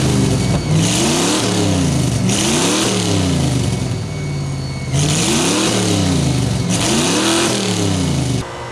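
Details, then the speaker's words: Chevrolet S10 engine, long stored and just revived, revving up and down with a thin high squeal over it; a belt slipping somewhere, owner unsure whether alternator, idler, new pulleys, water pump or crank. "But if you could hear the belt squealing, there is a belt squealing somewhere. Not sure if it's the alternator, the idler, any of the new pulleys, which is a possibility, the water pump, or the crank, or whatever."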